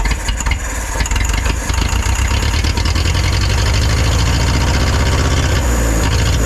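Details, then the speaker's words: Neglected forklift that sat unused, charging system stuck on, started on starting fluid: uneven, lumpy low rumble, stumbling and unlikely to keep running; rough running, carburetor suspected, to be pulled apart. "I don't think it's going to keep running I'm going to have to pull the carburetor apart and we're going to have to see what's going on here"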